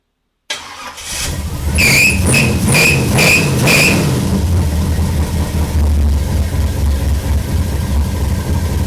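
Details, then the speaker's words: V8-swapped 2003 Chevy S10 (small block Chevy, not LS), just fitted with MSD Pro Billet distributor, 6AL box and Blaster 2 coil, first-time install; starter whir, clicks, then lumpy slightly uneven idle, running hot; owner guesses timing is light, targeting about 34 degrees. "So it seems like maybe, I'm guessing it's light on timing."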